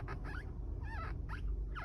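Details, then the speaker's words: 2017–2022 Honda Civic (10th generation) at low engine idle: short rubbing squeaks with each clutch pedal stroke from a dry pedal pivot, fixed with silicone spray lubrication. "it's only small thing but you can hear a little bit of a squeak in the clutch uh and eventually comes into the mall it just needs a small bit of lubrication"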